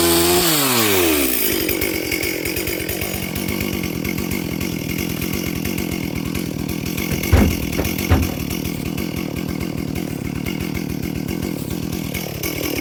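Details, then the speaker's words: Stihl 440/460 hybrid chainsaw cutting on its first tank since a rebuild, rings bedding in. It runs with an uneven, burbling four-stroke stutter instead of a clean scream. The carb is slightly rich and needs a small tweak, but no screwdriver was on hand. "As I say, I haven't got a screwdriver with me, and you can probably hear it does need a slight tweak to the carb."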